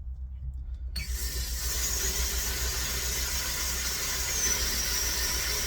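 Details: Home water pump after power switch hookup, being diagnosed before planned replacement: after a second of low hum a sharp high-pitched squeal starts with the pump and holds steady on start-up.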